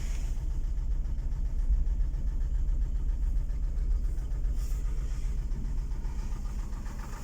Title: Стук в двигателе Дэу Нексия